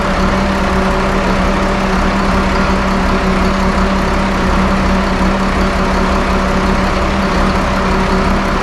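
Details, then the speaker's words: 1974 Allis Chalmers 7080 tractor diesel after fixing hydraulic leaks and restoring power steering: started for a final check, loud even idle with a steady low drone, no knocks or misses; running smooth and healthy. "So with that said, Damon is gonna hop in this bad boy, crank it up. We're gonna listen to her purr."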